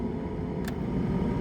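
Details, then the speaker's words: 2002 VAZ 2112 old cabin heater blower before replacement, run through settings one to three: steady droning whir with hum over a low rumble, louder than it should be; being replaced with a new Luzar fan. "Итак, до самой замены электровентилятора отопителя салона я вам хочу включить и показать, как шумит мой нынешний вентилятор отопителя салона."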